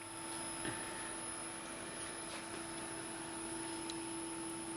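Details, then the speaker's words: Owner's first PC, a circa-2004 iQon tower (AMD Athlon 64 3200+ Venice, GeForce 9600) stored about 10 years with 20-year-old drives, at first power-on: steady whirr and thin whine of drives spinning up, but the front fan is not turning. "I can hear the drives going and everything. The front fan ain't doing anything."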